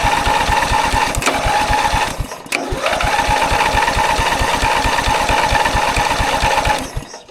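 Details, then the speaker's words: Ride-on mower engine cranked by bridging the burnt-out starter solenoid with pliers: heavy, slow labored cranking, dull thump about four times a second, never catches; clamp meter shows starter drawing over 100 amps initially, settling to about 77 amps, too high. "It's cranking it, well, it's settling down to about 77 amps there. The problem is that it shouldn't be cranking as high as that, and initially when you crank it, it's a way up over 100 amps."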